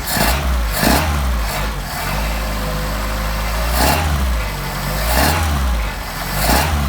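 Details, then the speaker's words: Engine with 44PHH Solex carburetors, cold and warming up unchoked. Several quick blips each rise sharply and settle straight back to a steady idle, a nice response; normal throttle response. "Sorry for the shaky video, but that's the engine rattling the concrete. Nice response."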